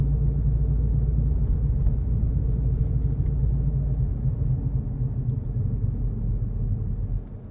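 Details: Car just after roll bar bush replacement, driving at cruising speed: a low, droning hum over the road rumble that drops away as the car slows; it appeared after the repair, the owner doubts it is the wheel bearings, source unclear.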